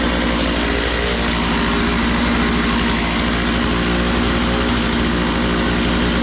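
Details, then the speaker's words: Makita DCS 6401 chainsaw, unused for 10 years, now run with filter and bar: fast buzzy two-stroke idle with no drop-off; idle set way too high, so the chain keeps spinning off throttle; idle needs turning down. "oh yeah for some reason that thing was idled up way high and you light off of it and that chain is still just a going"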